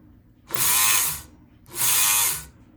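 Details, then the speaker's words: Kenmore 158.523 sewing machine: two short bursts of high even motor whir with no machine clatter; belt and pulley not turning, motor shaft spins inside pulley from loose set screw; belt also worn, brushes/commutator possibly worn. "Is this belt the whole problem? Well, this belt is a problem, and it probably needs to be replaced, but it's not the whole problem."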